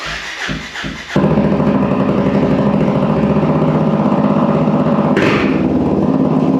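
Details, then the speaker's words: 2024 Honda CRF250F with exhaust temporarily removed, straight-piped: a few cranks, then loud, raw, rapid unmuffled single-cylinder bark; sounds cool but too loud. "Woo! That sounds cool. A little loud. I think my neighbors will officially hate me and probably make it so I have to sell the bike if I keep it like that."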